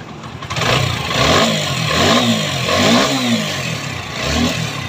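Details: TVS 4V motorcycle after repair of heavy feel, sound and mileage problems caused by earlier bad work. Clean throttle blips rise and fall smoothly without misses, knocks or rattles; it pulls up crisply and returns to an even idle.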